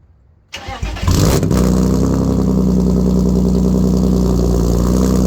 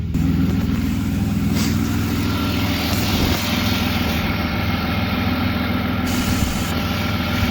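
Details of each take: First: BMW E36 cold start with catless M3 midpipe, no muffler and no cats: short crank, then a loud, raw, deep unmuffled drone, no smoke; loud exhaust without muffler or catalytic converter. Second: BMW E36 on the ground after a ripped ICV-to-intake boot hose was repaired, now running a catless M3 midpipe: steady, even low idle, no stumble, hunting or misses; normal idle.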